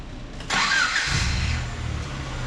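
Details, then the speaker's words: 1994 Honda Accord, restart after throttle body cleaning: starter catches in half a second with a brief flare, then settles to a steady, even idle with no hunting or surging. "Sounds great. Sounds great."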